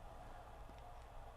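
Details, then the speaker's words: Sony CFS-B11 boom box (1996) that squealed on play, cassette capstan motor on 9 V DC after bushing oiling; a faint, even hum with no squeal or chirp, running smooth and quiet. "And the motor is running"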